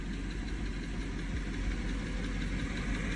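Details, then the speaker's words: Chevy truck V8 just after full engine rebuild, first start on 4-year-old fuel, oil still priming lifters and rockers: steady low rumble idle growing quieter, belt squeak and tick gone, slight hesitation, smoke from oil burning off exhaust. "See how it's starting to get more quiet? The belt is not squeaking and you don't hear that tick anymore."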